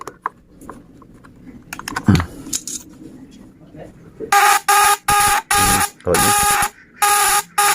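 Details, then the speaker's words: Homemade fish-stunner with a contact-breaker (platina) vibrator, powered by a battery: under load, loud bursts of harsh high buzzing, about half a second each with short gaps, differing from the no-load sound; normal working buzz. "suara juga bisa didengar kalau sudah kena beban beda ya teman-teman ya kalau tanpa bukan begini"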